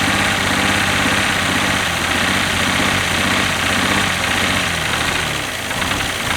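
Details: Abandoned 1967 GMC C20 with 305 big-block V6, sitting at least 7 years, first start on brake-clean starting spray with a badly stuck carburettor: loud, uneven, ragged running at low speed; it catches and runs without smoke.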